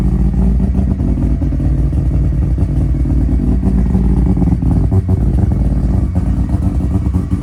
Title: First start 13B semi PP. 😁 (bit of an exhaust leak)